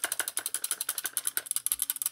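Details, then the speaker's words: Airsoft ICS DD MK18 S-AEG with 3rd-generation EFCS mosfet: the unsecured replica gas tube inside the receiver rattles loudly at the rear, a fast, even, tinny clatter; fix by removing the handguard and wrapping tape or heat-shrink around the tube. "le tuyau claque très fort ! Cela semble horrible !"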